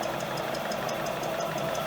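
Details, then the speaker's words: EPKU-1.7 compressor block after repair (rods, pins, rings, cylinder replaced) for cylinder knock and oil throw, 40 minutes of run-in: even steady pumping, light regular valve tick, no knock; normal, temperature normal, oil carryover minimal. "Це все допустимо, це все в межах норми. Посторонні шуми відсутні. Температура також в нормі."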